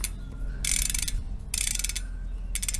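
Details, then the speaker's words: Second-hand Mavic Deetraks rear hub on a high-power electric bike, wheel hand-turned: three bursts of coarse, crunching clicks instead of a clean buzz; worn freehub ratchet, owner suspects damaged threading or bearings. "you can hear that though that's quite crashing this is here is the problem this this work worn-out section that's lost quite a lot them to their"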